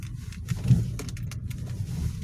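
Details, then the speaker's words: Ravon R3 driving after door trim panels lubricated with silicone spray: only low road rumble and faint ticks; squeak near middle pillars, thought to be door locks but from door card plastic, is gone. "отвратительно конечно слышать что ничего не скрипит году приехала там был заснять конечно такой звук был пластикой ну а сейчас ничего не скрипит нет нормально"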